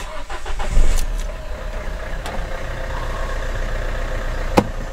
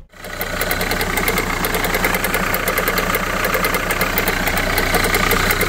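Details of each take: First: Renault Kangoo, 343k mileage, after replacing alternator overrunning clutch and belt for loud cold-start noise: short crank catches cleanly into a quiet even idle, no knocking or belt noise; charging 14.6 V. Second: Renault Kangoo at 343,000 km, morning cold start: a loud idle with a fast, fairly regular metallic rattle of three or four ticks a second. The alternator overrunning clutch is suspected but not confirmed.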